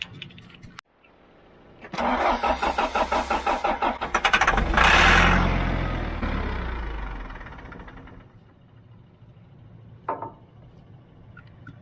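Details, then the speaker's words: John Deere backhoe diesel cranking on starting fluid; starter grinds with quick even thumps about three a second before catching, flaring and settling; knocking while cranking. "man hear that thing knocking when it you hear that thing knocking when it starts"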